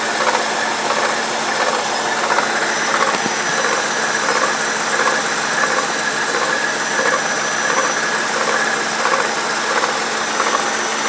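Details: BMW E65/E66 with N62 V8: fast, uneven metallic chatter like a chain rubbing its guides, quieting as the engine warms up. First suspected as the timing chain, it turned out to be the water pump bearing.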